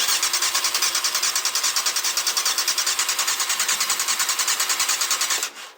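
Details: Yamaha Thundercat, first start after carb overhaul with float needles and seats renewed, fuel in the carbs and fuel pump disabled: steady starter churn, about 2.5 beats a second, never catches.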